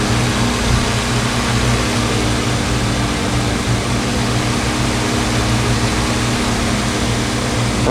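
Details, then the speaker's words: Honeywell HT-803 turbo fan after replacing noisy bearing bushings: runs with a steady even whoosh and low hum, relatively quiet, though the bearing noise is starting to come back; improved but not a 100% fix. "yeah it going for a little while the noise is coming back but it's still where I think it's better than the Y's [Music] it's still relatively quiet so some 100% fix but it's better"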